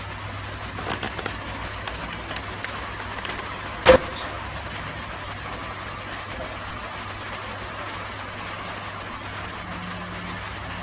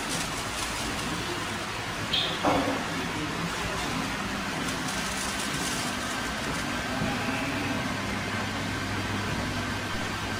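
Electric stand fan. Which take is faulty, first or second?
first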